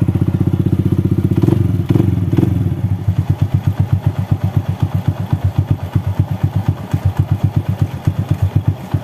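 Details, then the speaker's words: Honda Astrea Grand after valve clearance adjustment, magneto cover refitted: normal idle with even pulses about four per second; valves now quiet; light clicking comes from the manual hand-clutch lever fitted to this bike; engine sounds healthy. "suara klepnya sudah halus ini suara yang klek klek klek KK klek itu karena motor ini sudah menggunakan kopling tangan atau kopling manual jadi suaranya agak sedikit berisik di koplingnya"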